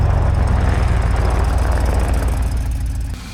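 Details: GMC Yukon XL V8, 6L80E transmission after replacing shuddering torque converter with billet unit, idling: deep steady even rumble then dropping away, no shudder, clunk or whine; driver-side exhaust gasket at Y-pipe noted not fully sealed; healthy idle.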